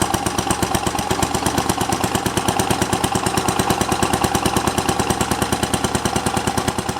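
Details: Simplicity 7010 lawn tractor, single-cylinder engine just restarted after head removal and spark plug replacement (old plug sparked intermittently): loud, raw popping beat at steady fast pace, exhaust escaping unmuffled through rotted, holed muffler that needs replacing; paint burning off.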